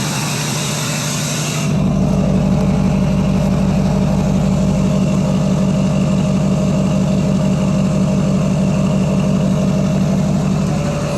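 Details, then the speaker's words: Duramax diesel after full delete, tune and rebuilt exhaust with cleaned turbo; short crank, catches and settles into a steady, even low rumble at idle with no misses or knocks, turbo audible; healthy running. "really really sounds great and really really revs great even just tapping the [Music] gas"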